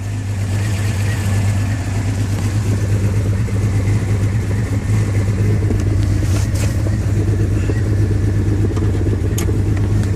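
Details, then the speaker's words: 2000 Jeep XJ Cherokee idling near-empty fuel: rough, uneven stumbling, loping idle from misfire; temperature sensor gauge dropping out; spark plugs already replaced, ignition coil suspected. "you see my temperature sensors going out you see and it's misfiring you can hear that"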